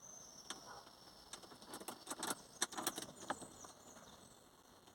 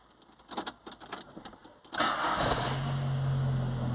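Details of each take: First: VW Gol/Saveiro cold morning start: fires after cranking, catches and dies, then runs uneven and stumbles when revved; faulty coolant temperature sensor. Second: VW Gol/Saveiro starts promptly after a brief crank and settles into a steady, even idle, revving cleanly; a normal cold start while testing how the engine temperature sensor reading affects morning hard starting.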